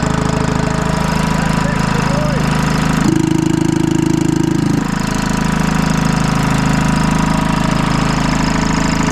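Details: Detroit 2-53 two-stroke diesel on a GoPower DT2000 dyno with a new adapter, first run since last fall, before the driveshaft was attached: even fast pulsing idle about three beats a second with no misses or knocks, idle turned up, healthy.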